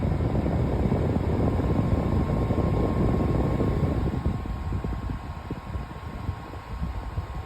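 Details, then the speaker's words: Brand-new Dyson HP09 purifier+formaldehyde fan on top setting 10: strong rushing airflow with a thin steady whine that was absent before; a computer-like noise earlier on setting 2 has gone. "can you hear the whining noise I'm actually doing the video because it was on 2 and I heard a little computer noise sort of going which is now gone"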